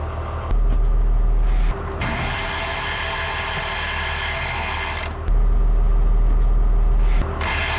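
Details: Tractor idling, PTO engaged: deep idle turns into a harsh rattling gear grind, PTO not engaging; cover full of universal tractor fluid to be split for inspection.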